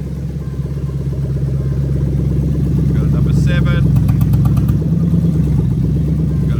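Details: 2001-2005 Lexus SC430 3UZ-FE VVT-i V8 engine harness made plug-and-play for a left-hand-drive Lexus IS200 with manual gearbox, engine warmed just past cold, idling while injectors and coils are unplugged one by one: lumpy uneven idle, single-cylinder misfire.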